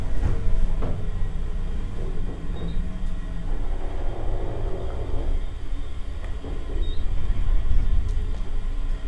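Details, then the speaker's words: Recently modernized CPCC Student Deck 1 parking elevator (units have broken down repeatedly), recorded riding up inside the car: steady low rumble with only faint clicks, no bangs or scraping; rides much better than the other car. Normal elevator ride. "I'm gonna ride this one up. This one rides much better than the other"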